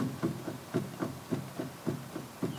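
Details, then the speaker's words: MGB on the ground, steering wheel rocked left and right, microphone moved near the rack: dull clunks about four a second with each rock, from play inside the rack and pinion housing, before rack replacement. "We have quite some play on this."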